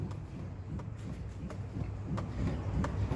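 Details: Suzuki Jimny rocked vigorously by hand after WD-40 and petroleum jelly applied at a suspected contact point under the hood: only dull low thumps and a light tap each sway, with no suspension creak.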